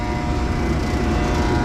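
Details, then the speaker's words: Old Trane unit's makeup air blower motor seized: loud, steady electrical hum at a fixed pitch with no spin-up as it stalls trying to start. "she seized up that's actually pretty interesting I've never even heard one try to work"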